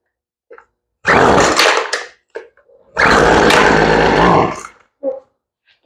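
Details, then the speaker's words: Poulan Pro two-stroke weed eater that would not start after sitting, with fuel delivery at fault and a new carburetor fitted, primed and choked: revs in ragged bursts then stumbles and never settles to an idle, so the carburetor needs tuning, starting with idle. "Sounds like she might need a little bit of a tune right out of the box. So let's get the tool and tune her up real quick. Okay, we're going to start with the idle, because we know she doesn't idle."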